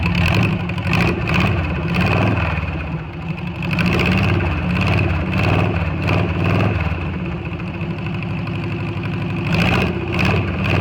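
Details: VW Beetle air-cooled engine after valve adjustment and timing advanced to 30 degrees: steady, even idle with smooth low chuff, no misses or rattles; normal running.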